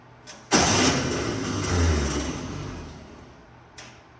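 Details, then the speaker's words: 1964 VW Beetle first start in a very long time, carburetor empty; fast even starter whir rising and fading with no firing, the old 6-volt starter with a 12-volt solenoid spinning without engaging. "that starter is a conglomerate mess of a 6vt starter with a 12vt solenoid it's all really old"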